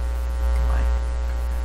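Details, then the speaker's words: Canadian General Electric C701 console record player on the bench: a constant deep hum in the phono output that grounding couldn't remove; owner suspects the unusual bench motor power supply or isolation transformer, not confirmed. "I don't know exactly why it's humming. It's possible it's humming because the power supply to the motor is unusual here on my bench."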